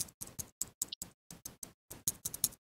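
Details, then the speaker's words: Motorised projector screen controller: direction-switching single-pole double-throw relay tapped by hand gives bright tinny clicks with a loose rattle inside, failed relay replaced with new one. "can hear rattling inside so i'll uh put those new relays in and then we'll open up that rattling relay and see what's going wrong inside"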